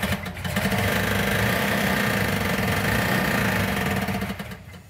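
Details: Plymouth Cuda 340 V8, first start after fitting the missing fuel sending/pickup unit: starts, runs lumpy and uneven a few seconds, then dies; sounds down a cylinder or two; misfire, cause unconfirmed.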